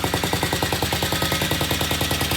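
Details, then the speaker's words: Vintage British motorcycle after repair with new Boyer mag pickup and loose exhaust pipe sealed, previously would not idle: crisp, even exhaust beats about eleven per second, no misses; running cleanly. "Okay, yesterday this bike would not idle. Today it sounds really, really good."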